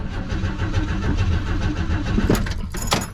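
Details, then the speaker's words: 1955 Chevy 210 revived after sitting many years, warm, with fuel in tank: uneven, lumpy low chuffing that surges and sags with rattling, engine can't drive to the gate; carburetor has an accelerator pump and fuel delivery fault. "yep it ain't going it won't even make it to the gate so we have to go find out what's up with this carburetor besides the accelerator pump it's got a delivery issue"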